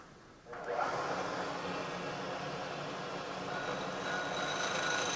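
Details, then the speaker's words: Lathe cut on a part cantilevered out of the chuck jaws: cut proceeds well, then a steady high ringing builds and holds toward the end as the overhanging workpiece vibrates; chatter worsens as parts get longer. "you along here this cut was proceeding pretty well but as we get out towards the end of the part this cantilevered out of the jaws you can hear more and more vibration you can imagine that that gets worse and worse as the part gets longer and longer"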